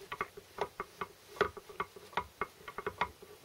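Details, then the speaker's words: Land Rover Series 3 gearbox during overhaul, hub in neutral, first gear rocked by hand: light irregular metallic clicks, about 1/8-inch play at the baulk ring notches. A stuck baulk ring is suspected and is expected to free up once assembled. Synchro baulk ring backlash. "You can hear this sort of backlash. Well, that's the notches for the bulk ring."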